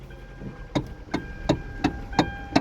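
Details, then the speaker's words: 2012 Kia Soul, engine quiet, steering wheel turned: sharp evenly spaced clicks about three per second, the notorious steering noise; worn rubber/plastic steering column coupling bushing. "And this one has that notorious steering wheel sound when you turn"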